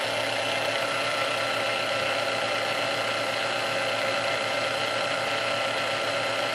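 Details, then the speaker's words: Previously restored Sunbeam Mixmaster Model 12, returned for quickly overheating its resistor; now oiled and speed adjusted, after a couple minutes' running. Steady, even motor whir with a high buzzy edge, no surging or grinding; runs smoothly on low. "We're going to turn this on and just let it run on low for a little bit here, and and just see what happens."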